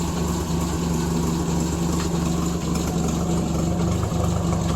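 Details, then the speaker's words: Classic car idling cold during winter storage after nearly a month unused, idle brought down: low, slightly uneven chugging idle with faint lope; roughness from being cold, smoothing as it warms. "you can hear it chugging a little bit just because she's still cold at least she ain't as cold as what it is outside"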